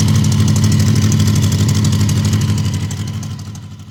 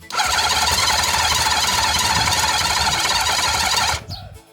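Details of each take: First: Honda CB750 barn find, 65,000 miles, sat outside about a decade, first start with syringe-fed fuel: even, steady tick-over with a soft regular beat about three per second, no knocks; smooth like a sewing machine. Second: Honda CB750 with 65,000 miles that sat outside for about a decade and seized, cranked on a battery pack with fuel added by syringe. A steady high whirring crank lasts about four seconds and it never fires on the second attempt.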